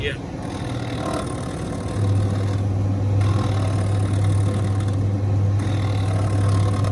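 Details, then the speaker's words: Zanussi TD200 auto reverse tumble dryer exhaust fan motor, runs on its back but not upright: steady mains hum with no spinning whir after two seconds; fan motor stalled and failed, possibly needing lubrication. "Those sorts of motors, I've had them on ovens, because that's pretty much the same as a fan oven motor. They can work when they're on their back. Yes. But as soon as you put them upright, they"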